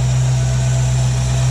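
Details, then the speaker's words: 1967 Ford Mustang with a rebuilt Holley 2300 2-barrel carb, cold on choke with hot-air choke tube connected: a steady, even fast idle on the high idle cam with no misses. Vacuum reads 17–18 at 4,000 ft altitude. "okay so you'll notice the choke is on and the hot air choke tube is connected so this should slowly kind of open up as it warms"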